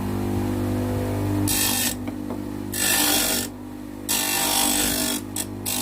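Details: Homemade bench grinder, table-mounted, grinding a steel angle: steady low motor hum underneath while harsh grinding bursts come and go as steel meets the wheel; grinder working properly.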